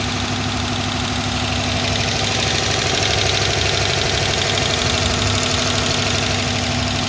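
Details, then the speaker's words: 2011 Dodge Charger PPV 5.7 L V8, running about 30 minutes without improvement, accelerator not responding: steady fast tapping, seemingly from the top of the engine, over an uneven idle with a steady misfire, cause not found. "this one has a 5.7 liter v8 that sounds rough the motor has a steady tapping sound it's been running for about 30 minutes it has not improved"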